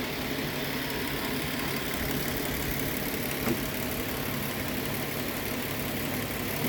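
Steady, even idle with a smooth low rumble and no stumble or popping; the V6 sounds healthy.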